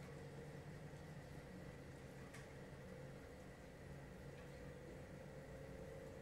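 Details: LG portable air conditioner on low fan (F1) with the setpoint lowered toward 18°C (minimum 16°C), before the compressor starts: a soft, steady airflow hush with a faint even hum and no rattles or surging. This is normal low-speed fan operation.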